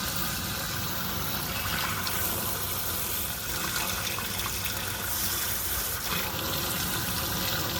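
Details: Sewer main that backed up again three weeks after snaking, just cleared: a steady rushing gush of water runs freely with no gurgling or backing up; the drain is flowing normally.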